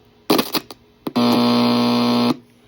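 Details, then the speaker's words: Homebrew signal tracer probe on the audio driver stage of a recapped simple radio receiver: a few crackles as the probe lands, then a loud steady buzzing tone, showing the audio stage passes signal normally. "And then this is our audio driver, and that's why you hear that loud sound."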